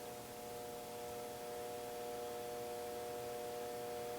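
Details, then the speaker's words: HP bench power supply feeding a boost converter, voltage dropped from 20 to 10 V: steady faint mid-pitched buzz. The supply hums as it delivers more current, since current rose while voltage fell (negative resistance). "hear the HP kind of buzzing because it's putting out a little more Kurt now okay that's right at 10 volts"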